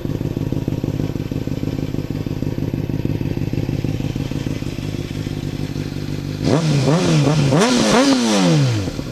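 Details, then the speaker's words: 2007 Honda CBR600RR, engine warm at 157°F, startup then revving: even, crisp idle and quick clean revs rising and falling with no rattle or misfire; a healthy four-cylinder exhaust note. "so I guess I'll start it up I'll show you the exhaust note"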